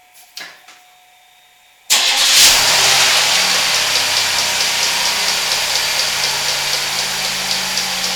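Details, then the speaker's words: 1991 Buick LeSabre, 3800 Series 1 V6, started in the morning: engine fires and idles with a light steady tick about three times a second; ticking/clunking traced to damaged serpentine belt. "hey everyone Nar here this morning my car started making some funny noises and I'm going to take a look at it here today"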